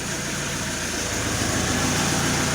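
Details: Alfa Romeo 156 1.9 JTD common rail diesel with crank-no-start fault, started with some throttle, improving as engine warms, possibly bad fuel; rough, wavering unstable idle amid outside noise, starter grinding noted; cause not identified.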